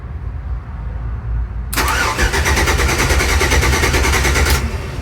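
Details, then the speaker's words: '94 OBS truck with LS swap, newly wired relay board, fuel pump disconnected: throttle body and relay click, then starter cranks steadily about three seconds and never catches; no fuel supply. "Throttle body, I heard the relay click off for the fuel pump. That means starter should start cranking. I don't expect it to fire off unless there's a little bit of gas left in the truck."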